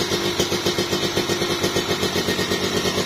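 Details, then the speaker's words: Kawasaki Ninja 2-stroke with newly fitted oversize (OB) cylinder block, idling: crisp, even idle at about four pulses a second, dense smooth sound without misses or rattles, smoother than the original block. "nah ini yang suara yang di OB padet banget soalnya tuh halus jos"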